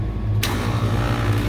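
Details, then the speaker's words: AC unit with electrical fault, phase rotation verified correct, contactors bumped: sharp clack as contactor pulls in, then steady low electrical hum; contactors engage cleanly and sound good. "sounds good sounds good sounds good so they sound good"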